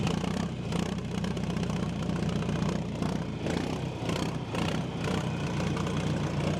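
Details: John Deere 310A backhoe diesel, first start after fuel system and fuel pump repair: a low, chugging idle that keeps running without stalling. The fuel system is feeding properly.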